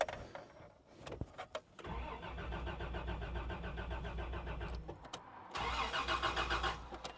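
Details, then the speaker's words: 1989 Land Cruiser barn find, first cranking after about eight years sitting, fresh gas added, oil pressure rising; steady starter churning in two long bursts, never catching; no fuel pump heard running, suspected cause not confirmed. "I don't hear a fuel pump running."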